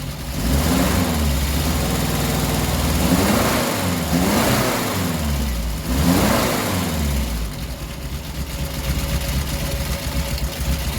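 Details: 1967 Triumph Spitfire MK3 abandoned project, first start-up: four-cylinder blipped several times, slightly lumpy and uneven between revs, smoother higher up; rough running needing a tune-up, carbs to be stripped and cleaned.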